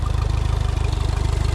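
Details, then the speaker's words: 60hp short-shaft Mercury four-stroke outboard on a 1977 17' J-Craft, first start after sitting: quick, very even low thumping, about sixteen pulses a second, no misfire or knock; normal smooth idle. "But you saw that first fire up. And that is why I love these four strokes. They just fire up and idle."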